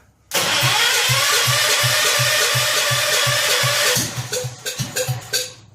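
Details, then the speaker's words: Rebuilt 10 hp Kohler K241 in a John Deere 210 garden tractor, idle turned up slightly: chugs evenly for about four seconds, then sputters and stalls; owner suspects partial fuel delivery problem, unsure about fuel pump, possibly air in the line. "now we're running there a well we have two fuel delivery issue partially let's throw a little more gas in it see we get it to draw from a gas can and run a little longer"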